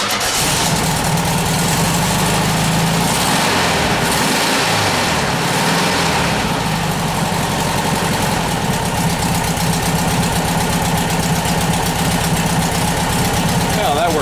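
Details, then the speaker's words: Air-cooled flat-four VW bus engine just after a valve adjustment, still cold and on the choke: a steady, even idle with no valvetrain clatter. It runs well, though the belt is flapping slightly and needs adjusting. "I got adjust that belt that belt's flapping a little bit a little coold a come come up off the choke and she'll be good so we'll let that run for a minute"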